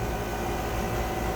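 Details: 1.5-ton York condensing unit converted from leaking R22 to R410A last year: steady rough rattling churn like stones tumbling inside the compressor; broken internal compressor plate suspected, reversing flow, no cold air.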